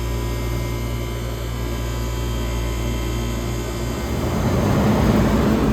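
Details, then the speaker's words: 1978 Comfort Air Quiet Master window air conditioner with AH compressor firing up on cool: steady low hum, then the compressor kicks in with a rising fuller rumble and settles into an even run, blowing ice cold; healthy start. "This is the much more big muscle beast. This is the sound of an AH firing up."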